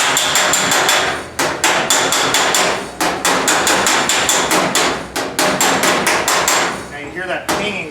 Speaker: pinging sound, that's called hammer on dolly. That's where you're actually squishing the metal between the two.